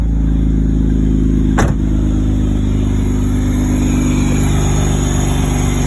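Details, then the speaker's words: 2006 Hyundai Tiburon 2.7 V6 with serpentine belt removed: starts and runs with a steady, even drone and no tick while revving, so the loud tick, first suspected as lifters, comes from the belt drive. "my car hopefully will start since i took the serpentine belt off it it makes makes no noise fires right up now"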